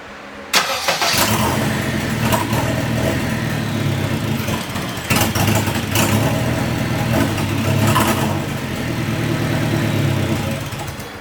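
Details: K24-swapped Subaru BRZ, turbocharged, first startup attempts after swap: long cranking with uneven bursts trying to fire, flaring briefly then falling back; extended cranking, nearly catches but no start.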